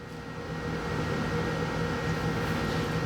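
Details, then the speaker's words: 1970 Pontiac Grand Prix SJ V8 on first startup after a rebuild, before cam break-in; uneven stumbling rumble with irregular misfiring; timing suspected to be 180 degrees out; rough running on first start. "Kill it. That sounds 180 out."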